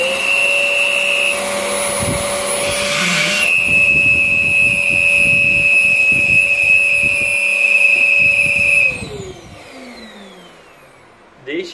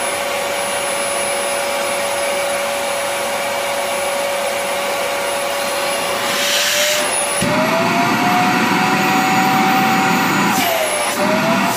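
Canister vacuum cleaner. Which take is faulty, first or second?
first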